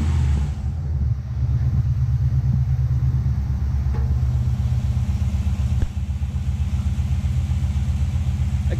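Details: Nissan Patrol with swapped 6-litre Chevrolet L98 V8, new engine-bay loom, after plugging in the throttle pedal; deep rumble with steady pulse about four beats a second, no misfire or stalling, starts and runs.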